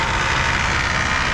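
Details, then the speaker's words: PT Cruiser GT 2.4 turbo on jack stands in first gear with foot on the brake: harsh, steady metallic grinding rasp under drivetrain hum that grew louder with each gear. Transmission is fine; cause is stripped CV axle splines. "You hear there, it sounds like a complete gear has blown up in the trans, but the trans shifts like butter all the way through."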